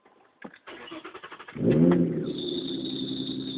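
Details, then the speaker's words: Mazda 626 automatic, 152,000 miles, cold start: after rapid cranking it catches and a steady high-pitched squeal rises over the idle within a second; belts are tight, and the owner suspects the alternator belt, unconfirmed. "got 152,000 miles on it but I tell you what she squeals like a pig let me show you true David's fire startup cold"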